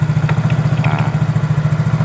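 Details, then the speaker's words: Yamaha Mio J scooter; owner says the engine and transmission are noisy. At idle there is a steady thump with an irregular squeak that comes and goes. "Terkadang mengeluarkan suara, terkadang tidak. Ah , itu dia. Ya, terkadang terdengar, terkadang tidak."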